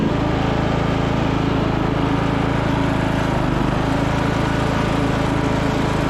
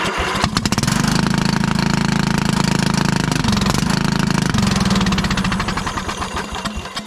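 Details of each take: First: 1996 Craftsman LT1000 lawn tractor single-cylinder engine after replacement used muffler and new coil, on jump pack: steady, even drone, no misses or knocks; normal running. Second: 1996 Craftsman LT1000 Turbo Cool lawn tractor, single-cylinder, first start on jump pack: rough, very loud raspy bark; owner wondered muffler or head gasket, found cracked muffler.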